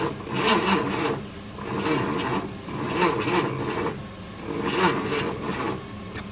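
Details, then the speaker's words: 1966 Ford F100, first start attempt after 17 years sitting, starting fluid sprayed in, weak cables; slow rhythmic cranking about one groan per second, never fires; no spark at the points, cranks but no start. "Sounded like it hit a lick. That's what these points look like. Not seeing the spark."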